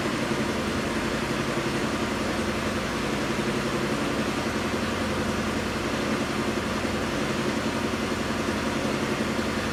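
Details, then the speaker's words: Jeep Liberty 3.7L auction car that cranks, starts and stalls, with #4 and #6 exhaust valves found not opening: it starts and idles rough and lumpy, misfiring heavily with one completely dead cylinder. "So it does start and run. It is misfiring like crazy."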